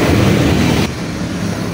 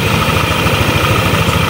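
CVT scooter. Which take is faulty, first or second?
first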